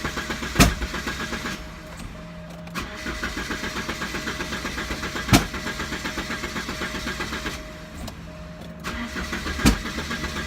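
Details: 1988 Porsche 944, alarm bypassed, fuel pump heard running: starter cranks in long steady bursts about four strokes a second before engine finally catches; hard start.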